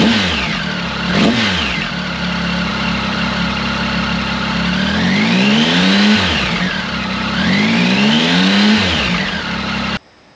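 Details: Triumph Tiger 1050 Sport with new Lextek RP1 full exhaust (baffle in) replacing cracked downpipe: starts cleanly, even idle, smooth crisp rising and falling blips; normal start and idle.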